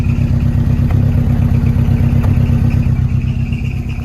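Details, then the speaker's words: $500 Volvo 240, 210,000 miles, long unrun, first start on old gas with a leaking rubber fuel feed hose: loud rough idle, low rumble and irregular metallic clatter from the disconnected exhaust rubbing and rattling against the body. "how bad is it leaking not too bad that exhaust is rubbing quite a lot because it's not connected right here"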